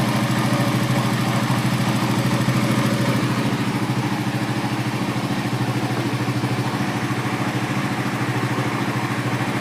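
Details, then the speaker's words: Suzuki GSX-R150 after full throttle body service, restarted with sensor unplugged so FI light shows: even single-cylinder putter at about 1500–1600 rpm warm-up idle, no misses or knocks; normal idle, left to warm and relearn. "ya, ini 1500-an, 1600-an ya. Ini udah pas banget kan, dengerin ya."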